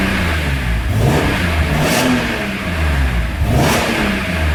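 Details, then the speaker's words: BMW E46 M3 warming up: revs rise and fall unevenly, catching and stumbling like a misfire, worse when hot; Vanos was first suspected, but the cause proved to be a faulty throttle position sensor. "You can hear now it's a little bit more hot. It really comes for stuttering."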